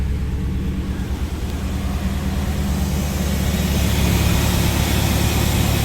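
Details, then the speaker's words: Vehicle with 250,000 miles after intake gasket and coolant leak repair, also blamed for hard starting: steady low rumble settling into an even idle, no knocks or misses; running smoothly. "All right. Sounds good. I'm happy with that."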